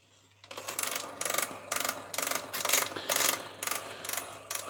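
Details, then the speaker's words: Collaro RC54 record autochanger running with its idler refitted but lacking the rubber tyre, so bare metal gives loud rhythmic metallic chatter about twice a second. It still works at all speeds, and the noise should stop once the rubber is fitted. "the idler back in but there's no rubber on it so it is a bit noisy but it does work"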